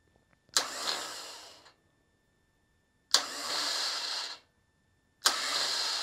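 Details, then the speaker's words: Bench starter after a hard start relay is installed, with the start switch partially pressed to test it: three roughly one-second whirring bursts with crisp engagement and run-down, and the relay's internal switching audible over the motor. Normal starter operation. "it's working. Even over the starter motor, you can hear this in this relay switching internally."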